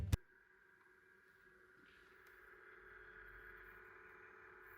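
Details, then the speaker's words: MSI GL72 laptop (i5-6300HQ, GTX 950M): a click, then a quiet fan whir with a faint purring at max fan speed; the owner plans to replace the fan, thermal paste and rear shell. "est-ce que tu entends ce petit ronronnement donc là j'ai activé la vitesse max sur le ventilateur"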